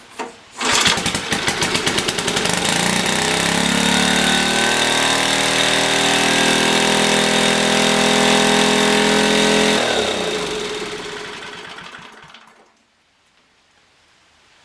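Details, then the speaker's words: Older Black & Decker generator with Briggs & Stratton 5 HP engine, after rusty tank and dirty carb work: runs at a steady high pitch, engine speed too high, governor/throttle runaway. "Yeah, that's running out of control. Let's loosen this."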